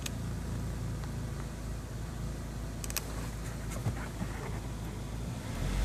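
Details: 1999 Honda CR-V, first startup after disconnecting the battery to clear check engine codes: idle dips very low then comes back up, then roams, a low drone that sags and swells with an uneven beat, a hunting idle with misfire.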